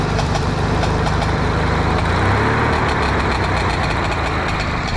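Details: Mower with a paint-can lid welded over its backfire-blown muffler, started with the safety unhooked: steady, rough run with irregular exhaust pops; the patch still leaks but is much quieter than before.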